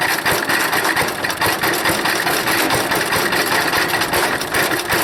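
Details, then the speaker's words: Wood chipper small single-cylinder engine, no air filter, fully choked, tank nearly dry: fires unevenly with a ragged, stumbling beat at idle; rough running, owner suspects a bad carburetor float or dirty carburetor. "that it sounds like a sputter but boy that's a job pulling it i choked it all the way but it's got a bad uh float i think it's definitely firing it's got a real bad float"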